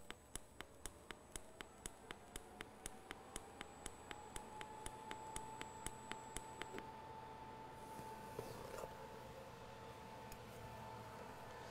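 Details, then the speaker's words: TIG welder on AC aluminum with pulse set to 2.0: even arc hiss with sharp, regular clicks as the pulse cycles on and off; normal pulsed AC TIG arc. "And we will go ahead and get set up and come down in here, and we'll start the arc. Oops, my foot got stuck. So you can hear it clicking on and off."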